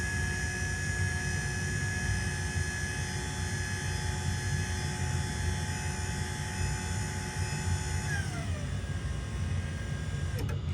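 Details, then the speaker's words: LiftMaster 87504-267 garage door opener from 2021, non-MC, that once sounded like a coffee grinder, now restored with factory-revised foam added: a smooth, steady motor hum with an even whine, no rattles or knocks, and a clean wind-down at the stop; normal, quiet run. "So, there you have it. The re- revised/restored 87504 from 2021 non MC super quiet now."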